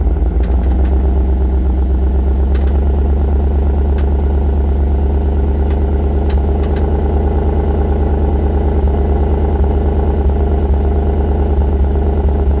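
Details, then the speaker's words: 2013 Chevrolet Suburban with code P0301, in drive with brakes held, light throttle, mic at tailpipe: deep exhaust drone broken by uneven stumbles and sharp pops, RPM flickering, steering shake; cylinder 1 misfire, spark plug possibly cracked. "i'm going to step on the gas just a little bit and you're going to hear it misfire if you look at the rpms you could probably see it flickering a little bit you could also feel it in the steering wheel"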